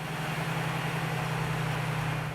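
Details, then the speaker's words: 2007 GMC truck, 4.3 engine, power steering pump after flushing and vacuum bleeding: steady idle, even low pump hum, no groan or whine steering lock to lock; flow, pressure and bypass valve normal. "we can see from the flow meter that we have proper flow in the system we can also see on the pressure meter then the pressure is normal and when we put the wheels to lock that the bypass valve is working properly in the pump"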